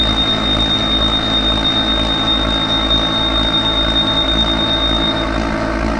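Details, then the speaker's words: Clad Boy CB4 vacuum lifter suspended from a forklift on a Kingspan roof panel: lever in green zone activates suction pads, steady high buzzer over even pump hum as the vacuum gauge climbs into green; normal operation. "And as explained earlier, you simply slide this lever into the green zone, and you'll hear the buzzer running and the vacuum pumps"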